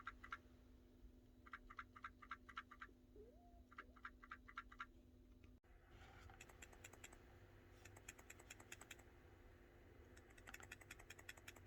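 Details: Samsung Galaxy S23 Ultra: quick bursts of light, dry clicking whenever the phone is slightly moved, from the faulty 10x telephoto camera's stabilizer rattling loose; fix is replacing the telephoto camera.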